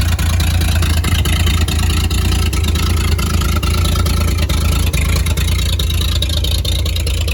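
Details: 1938 Chevy Master Deluxe, chilly Alaska September, with rebuilt carburetor and starter from a 1942 G506: steady, even low idle with smooth regular beat, no knocks or misses; runs very well, normal idle.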